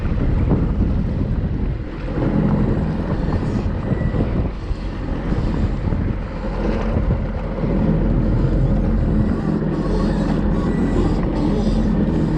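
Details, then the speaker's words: Sea-Doo GSX with Rotax fuel injection under way after replacing two fuel pump filters that had caused no power: steady, even engine drone under wind and water noise, no stumbling or power dips; running great. "But anyway, you could at least hear the way the thing was running, and it was running great."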